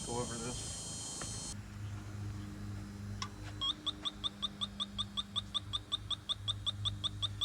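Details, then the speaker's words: 1988 Chevy Suburban R134a AC system under vacuum, electronic refrigerant leak detector sweeping it, air compressor running in background: steady rapid beeping, detector needs recalibrating, reset, confirms a really big leak. "if you've never used one of these before the way this works is it senses the refrigerant molecules um and you'll hear that that whooping needs recalibrated let's hit the reset button yes we do have a really big leak somewhere"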